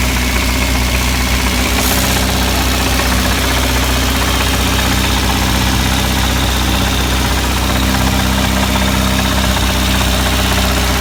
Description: Fiesta supersport 1660 burton xflow engine knock